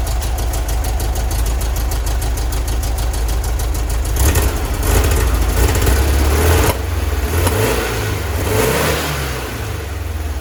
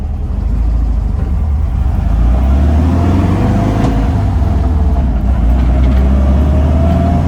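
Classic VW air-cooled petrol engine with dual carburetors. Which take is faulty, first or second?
first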